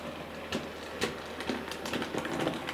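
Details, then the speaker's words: Model locomotive Sir Walter Scott running with tender removed: irregular sharp clunks about twice a second over a light running whir, caused by a split axle gear. "t now I've taken the tender off to make sure it's not the tender and you can hear that clunking now"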